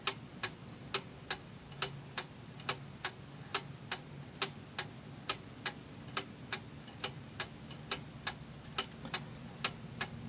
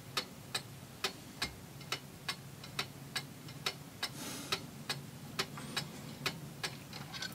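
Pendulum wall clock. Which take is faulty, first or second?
first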